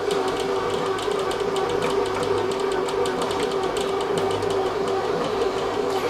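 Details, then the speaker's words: Secondhand Kenwood Rapid-Bake BM200 bread maker running: steady mid-pitched hum with a light, fast clicking rattle throughout; owner suspects something loose inside, not confirmed. "things ain't cooking in my kitchen that it's making a noise they're quite sort of rattly"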